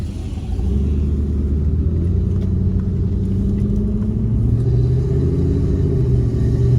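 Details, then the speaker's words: Jeep WJ Grand Cherokee 4.7 V8 on a road test after a shorter serpentine belt was fitted bypassing the worn AC compressor pulley bearing (no air conditioning): a deep engine and road rumble building with speed, and no belt squeal. Normal running. "The answer is no. Got no air conditioning, obviously, but I'm going to replace the bearing in the pulley on the AC compressor."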